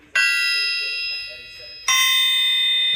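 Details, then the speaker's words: Old, raggedy 454 crankshaft in for service and due for grinding and polishing: two light hammer taps each give a clear high ring that holds for over a second. The crank rings true with no crack. "listen to that. Look how long that held that tone. Even this old crank."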